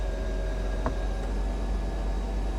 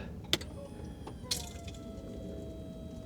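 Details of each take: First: 1995 Mercedes E320 Cabriolet (W124), convertible top closed for 18 years: even low pump drone with faint steady whine and one click, no straining; top pump working normally. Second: 1995 Mercedes E320 Cabriolet (W124) convertible top hydraulic pump: quiet, steady electric whine that holds pitch without straining while the top does not move; owner suspects air in the long-unused system, nothing leaking where lifted.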